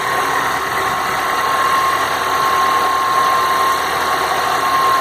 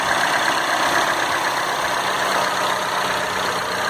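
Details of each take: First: Citroën C4 Lounge THP on cold start: hard, rattly diesel-like clatter with a steady high tone over it, quieting once warmed; cause not identified. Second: Citroën C4 Lounge THP at idle after a few revs: the diesel-like clatter heard at cold start has faded to a soft, even hum. The engine has settled; the cold-start noise is described as a chronic Citroën issue.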